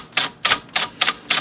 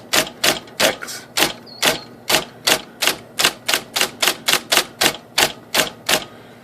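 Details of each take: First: IBM Selectric typewriter after repair, motor flushed and bracket raised and tightened: six crisp, evenly matched key strikes, the S now sounding like the Z, with no knock or rattle from the case. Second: IBM Selectric typewriter (13-inch, carbon ribbon) banging and shaking the bench on certain characters: sharp heavy strikes with a hard bang as the arm jams against the case because one side of the mechanism sits low; fixed by raising the bracket.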